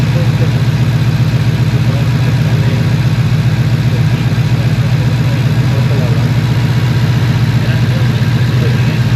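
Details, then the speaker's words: 2015 Ford Mustang V8 at idle with an uneven, loping beat as cylinder 8 misfires (P0308); new plugs fitted earlier and a plug and coil swap from cylinder 7 to 8 did not cure it. "aquí podemos ver que está fallando el cilindro número ocho"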